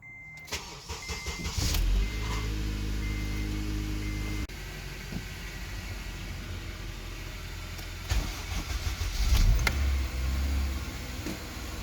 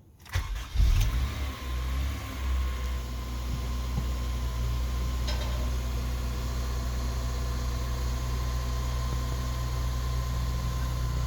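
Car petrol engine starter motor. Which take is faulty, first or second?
first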